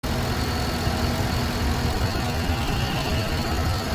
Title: how to test ignition coil misfire